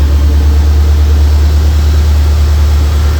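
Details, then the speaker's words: 2004 Mercury Marauder with freshly installed fully forged supercharged 03-04 SVT Cobra engine, thermostat about to open: deep, steady V8 rumble at idle, even beat, no knocks or hunting; sounds really good; normal warm idle. "Should be opening soon. This motor does sound really, really good"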